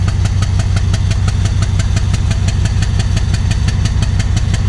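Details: Alsthom diesel locomotive of Thai Railway with black smoke: idle with a sharp, fairly regular knock about three times a second over the low rumble; abnormal engine knock, cause unknown.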